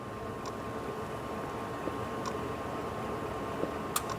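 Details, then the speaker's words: Honda Element automatic with code P2646, power loss and surging, during scan-tool VTEC solenoid actuation test in the shop; faint sharp single clicks as voltage rises; computer and wiring can switch the VTEC solenoid. "you see how the voltage went up okay and I can hear the solonoid click so this is good this tells me that the computer can turn on the solenoid"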